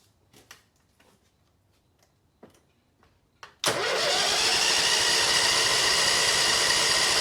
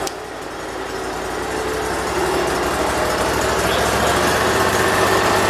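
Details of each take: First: 2006 Mud Buddy HD Mini, 23 HP Briggs Vanguard, fuel filter found empty: starter whirs steadily about four seconds and the engine never catches, because the lanyard kill switch was not connected. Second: 2006 Mud Buddy HD Mini, 23 HP Briggs Vanguard, after reconnecting the kill switch: small twin settles into a steady even beat that gently builds in loudness, no misses or knocks; normal idle, idle adjustment still wanted.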